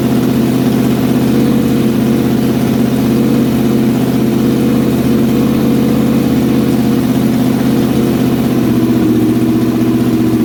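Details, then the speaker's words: Freshly built old-school 327ci small-block Chevy V8 for a 1957 Chevy Bel Air, break-in run held at 2,000 rpm: steady, even smooth firing, no knocks or ticks; healthy break-in, first run a success. "First run was a success, so I'm going to go ahead and adjust the rockers again, make sure that they're all good, and then we'll go ahead and start it up again and still run it at 2,000 RPM and let it build some heat and then kill it."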